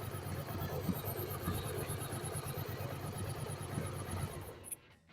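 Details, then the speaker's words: Yamaha Virago 1100 V-twin idling lumpily after valve adjustment and carburetor synchronization, with a few faint irregular pops from the open intake because the air filter is removed; music in background. "you may have heard a small noise that causes small explosions, it is because I have removed the air filter that goes there"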